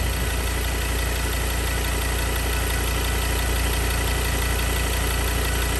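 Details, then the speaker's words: 2016 Ford Everest 3.2 diesel, 215,000 km, after an intake manifold carbon clean and a test drive: no leaks, quicker off the mark, smoother through the rev range. Steady, even diesel clatter with no knocks. Normal running. "much quicker Off the Mark engines much smoother through the whole rev range so quite happy with it we'll give a quick rev just to hear what it sounds like"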